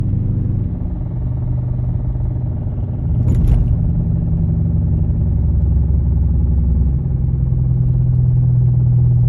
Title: 2015 Dodge Charger R/T Vibrating/Knocking noise